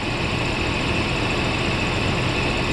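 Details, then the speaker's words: 1994 Mercedes SL600 V12 just started after battery recharge, in limp mode with ASR, SRS and check-engine lights, low RPM: a low, uneven, lumpy idle. It sounds like it's running on 6; cause not confirmed. "Feels like it's running on 6. That's what it feels like."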